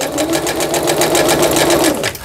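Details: Singer Stylist 7258 sewing machine after repair of an E4 stop-mid-sewing error, a misaligned lower-shaft gear, a sensor fault and a slipped timing belt; straight stitching gives a fast, even needle rhythm with no knocking or grinding, then a clean stop. Normal.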